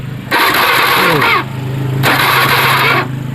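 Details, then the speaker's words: Honda Beat FI injection scooter: with the crank pulser socket unplugged, two starter bursts of about a second each crank the engine with no firing and no ignition, showing lost ignition traced to the pulser circuit, not necessarily a dead ECU. "Kalau soketnya ini dilepas ya, soket yang ini dilepas tidak nyala."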